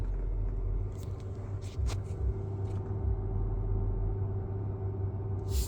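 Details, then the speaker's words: Tesla driving to a Supercharger in New Jersey; faint steady buzz over low road rumble as the battery preconditions before charging; normal battery preconditioning buzz. "but there's a buzzing sound uh which was kind of cool"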